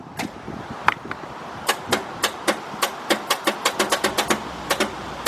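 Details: 1990 Buick LeSabre Custom 3.8: sharp dry clicks from the starter, about twenty in five seconds, with no cranking; battery, grounds and corrosion checked.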